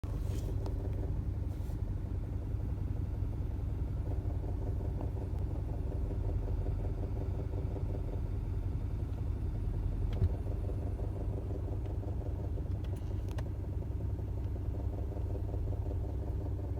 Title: 2013 Subaru Forester 2.5xt rough idle sound from inside cabin